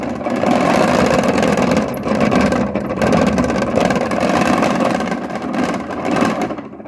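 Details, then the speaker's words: Top-loading washing machine running completely dry, no water: fast, harsh clattering knock caused by the broken, worn activator; adding water would not fix it. "какой стук Почему так стучит потому что активатор вот этот сломанный негодный не годный"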